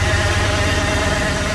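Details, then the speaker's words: OBS truck started after sitting for years: low lumpy, shaky idle that dies when the mass airflow sensor is plugged in; oil pressure good, warming up; rough idle with misfire, cause unknown. "Okay, so we've got it idling now. But whenever we plug in the mass airflow, it'll die. And it's still really rough."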